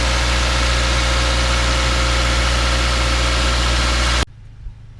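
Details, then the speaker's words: 2014 Subaru Forester 2.5L after engine work, battery idle relearn not yet done: quiet, steady, even idle with smooth low hum, no misses, knocks or surging, no dash lights; normal idle. "it sounds real good and just quiet no real lights on the dash or anything so and actually it's idling very smoothly"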